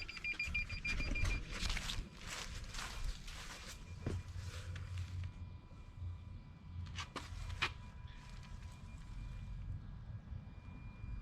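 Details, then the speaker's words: 2016 Toyota Tundra Platinum after replacing driver-side front park sensor (part 0C011-48930) that failed in cold weather: faint beeps stepping lower in tone as distance changes; sensor working normally. "if you can hear that it's uh changing the tone"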